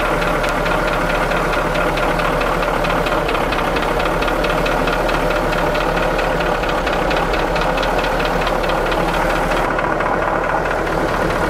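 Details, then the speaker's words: Diesel engine of a large ramp truck at idle: loud idle with a sharp, even tick on every revolution, steady throughout; the tick disappears off idle with any rev. Suspected to be a weak injector, or possibly air in one injector; not confirmed. "at least that's what aaron diagnosed that ticking as um as it came off of idle any kind of rev that would go away so he said it sounds like a weak injector"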